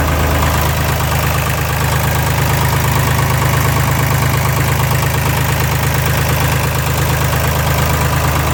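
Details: Air-cooled Deutz Fahr D4506 tractor test run after replacing the cogged V-belt driving alternator and cooling blower: loud, even diesel clatter at about two beats a second, a steady, smooth, healthy idle.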